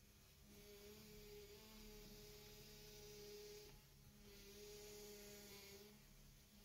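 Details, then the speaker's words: 2001-2005 Honda Civic after power steering pressure line replacement: steady droning whine swelling as the wheel turns, from air still in the system making the fluid foamy; fades once bled and left to settle. "So the reason you're still getting that noise is because the fluid as it's getting the air out will look foamy."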